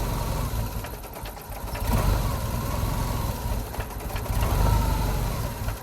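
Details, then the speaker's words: 1988 Jeep Comanche, Renix 2.5L I4, AX-4 4-speed manual, 2WD, in closed loop: idle slowly swells and sags every couple of seconds over a low rumble, hunting; ECU swinging from leaning out to running too rich, O2 sensor seemingly working. Cause unconfirmed. "oh now it's getting a little funky so now it's like trying to Rich it too much before it like wasn't before it was trying to lean it out"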